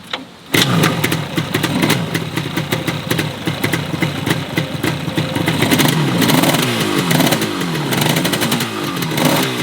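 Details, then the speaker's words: 1975 Yamaha RD350 two-stroke, abandoned 10 years, mostly running on the right bank only, suspected poor fuel delivery and carburetion: revs with ragged, stumbling pops and uneven beat, one cylinder cutting in and out; misfire. "right there you could actually hear the breakup from the motorcycle that clearly tells you that it's not running correctly shouldn't do any damage to the bike but I just thought I had to mention it"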